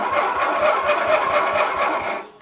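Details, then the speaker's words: Roper Rally lawn mower with 18 HP twin Briggs engine, starter jumped directly; strong, even cranking about four chugs a second with equal compression strokes, good battery; compression sounds healthy, normal cranking. "we know it's got a good battery you can hear the compression that sounds really good"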